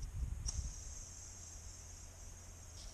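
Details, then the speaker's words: Belt idler pulley after belt came off: thin steady high-pitched squeak, not too loud, plus a deep groove; worn bearing, pulley replaced. "скрипеть. Конечно, не слишком громко, но оно есть, поэтому мы его тоже заменим."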